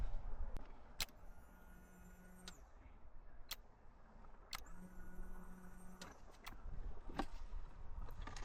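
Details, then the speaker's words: Ducati 916 Biposto with 13,800 km, standing 15 years, on first start attempt after belt change: two 1.5-second fuel pump priming buzzes with a thin whine. Owner thought the pump sounded dry and not drawing fuel; the bike then failed to start. "you can hear the fuel pump buzzing and it just didn't quite sound to me like it was drawing fuel through. It sounded dry."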